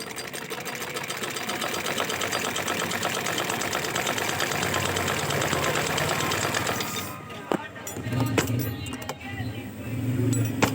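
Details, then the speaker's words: Sewing machine after needle bar timing adjusted and nut tightened, fixing repeated needle breaking; fast, even stitching clatter with no snaps or hard knocks before stopping; sewing cleanly. "ये check करें दोस्तों, ये बिल्कुल अच्छे तरीके से सिलाई कर रही है। अब ये सुई नहीं तोड़ रही।"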